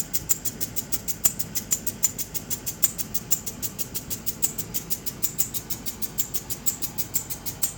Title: Landrover Discovery 2003 making a clicking noise what could be the problem.